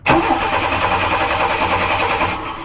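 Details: 1994 Chevy Cheyenne truck that died while driving and towing: starter cranks engine steadily without firing; no spark found, distributor heard clicking inside, fuel dumping out; cranks but won't start.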